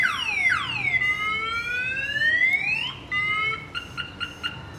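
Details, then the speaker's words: Chevrolet Silverado with a new Viper 5706V alarm, armed, hit hard to trip the shock sensor (set not too sensitive): siren sweeping up and down in pitch, then repeated chirps. Alarm triggered by the shock sensor; kill switch activates. "i don't have it too sensitive because sometimes if you put it too sensitive alarm starts going off if a loud muffler stops by or if something just random is loud it'll go off and that kill switch will activate it"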